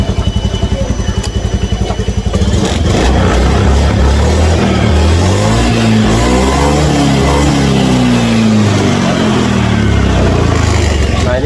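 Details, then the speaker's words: Honda Scoopy scooter with a hesitation (brebet) complaint, after a reset; engine picks up and revs smoothly up and down with no stumble or hesitation; normal revving, and the injector is not yet replaced. "Diiset kalau setelah diriset onya mantap ya. Enggak berebet lagi tuh kan."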